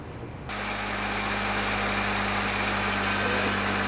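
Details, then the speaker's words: 1997 Honda Civic, engine running, listening through a tool held on the pulley bolt: harsh rough grinding over a steady hum from a worn idler (belt tensioner) pulley bearing; another pulley made no noise. "you listen to it you'll be able to hear the vibrations and in this case you can hear a lot of grinding noises"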